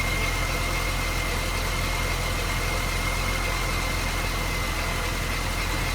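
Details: Supercharged MINI that cranked but wouldn't start, now running after the crank sensor was reseated flush: steady, even idle with a faint constant blower whine and no misses or knocks; healthy idle.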